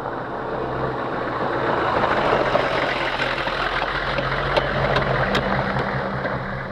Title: Weird Hummer clicking sound